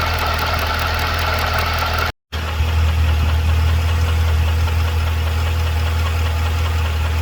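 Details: 2012 Cadillac CTS-V at idle: a steady low idle with a light, fairly quick tick of about four per second riding on top; ticking/knocking at idle, cause unclear.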